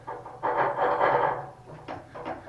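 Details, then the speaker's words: Sabre 2000 CNC Y axis: uneven rough metallic clang/grind bursts when the axis switches direction, ballnut itself quiet when moved; suspected ballscrew/ballnut or servo motor, drive unit to be removed to inspect. "so that's the noise we were essentially hearing when we would switch directions and the odd thing is moving the ballnut it's nice and quiet"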